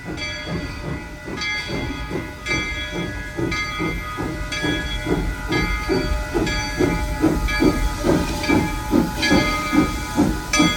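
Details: Real-world steam locomotive example showing four chuffs per revolution: crisp, even chuffs at about two per second over steady hiss, four per wheel turn. Normal, well-timed locomotive exhaust.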